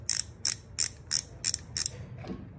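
Crisp evenly spaced clicks, about three per second, six in a row on a quiet background, a reel clicker working cleanly.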